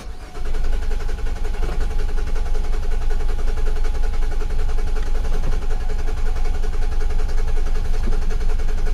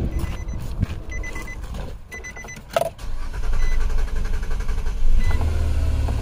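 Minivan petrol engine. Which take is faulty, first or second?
first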